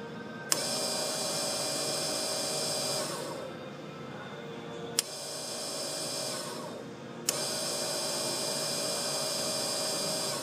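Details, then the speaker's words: Ford rear air suspension compressor run with the relay jumpered directly: a high, hissy, harsh buzzing whir for a few seconds; the pump runs but is broken internally, making the noise. "Now, my pump is working, but mine's broken internally. So, that's why mine's making the noise right now."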